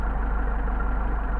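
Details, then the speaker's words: Mercedes 190SL rebuilt Solex carburetors, idle mixture screw adjusted with tachometer, idle around 600-650 rpm: low lumpy pulsing idle sagging as the screw is turned off its best point; rough idle from misadjusted mixture. "keep starting to drop off all right now it's back out get our best idle we got 650 almost starting to degrade a little bit"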